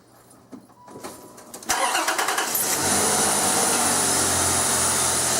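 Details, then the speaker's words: 2001 Infiniti QX4 3.5L V6 started after new E3 spark plugs and a reconnected vacuum hose: brief crank, then a steady even idle without stumbling. "we're going to go ahead and give it a good start like we always do with every repair we do"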